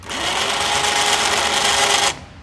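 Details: Badlands winch newly installed on a 2009 Kawasaki Teryx, run by handheld remote: steady, even electric whine for about two seconds, then cuts off cleanly; normal winch motor run.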